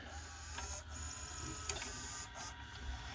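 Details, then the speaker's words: Emerson VCR765 VCR, Orion-made, circa 1990, in fast forward after lubricating the tape path: thin steady whir with high whine and scraping; grinding persists, owner first suspected a dry idler gear, later suspected the capstan motor. "I think I just need to put some lubrication underneath this idler gear I think it's just running completely dry"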